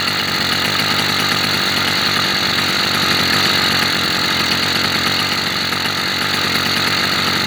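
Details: New 80cc motorized bicycle two-stroke, third start during break-in, running 24:1 oil mix on 91 octane: loud, high, buzzy rasp holding steady and even, with no misses or knocks; normal running.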